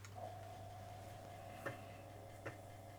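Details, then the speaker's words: Panasonic JU-455 5.25-inch floppy drive, SuperCard Pro testing with end track set to 48: quiet steady motor hum with sparse soft ticks as head steps across tracks; working normally. "checking the home sensor ancing how far it can go without stalling out and it's telling me the maximum track is 43"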